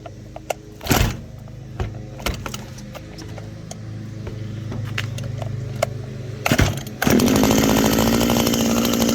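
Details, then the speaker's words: Small two-stroke hedge trimmer after oiling the blades, a commonly missed maintenance item: after some clatter it fires and settles into a steady, buzzing high idle without misses; runs fine. "Nice and lubed up. That simple. Keeps everything running properly, and occasionally"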